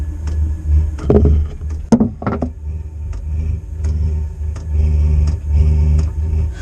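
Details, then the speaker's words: Newly installed Chinese diesel air heater starting up: steady low drone as the combustion chamber fires, with the fuel dosing pump ticking evenly about every two-thirds of a second; heater warming up and running normally. "oh it's revving up now i can hear it you can hear that oh that's definitely getting hot now that's great toasty for the winter"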